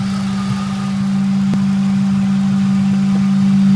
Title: Ford 4.6 Sohc Humming Noise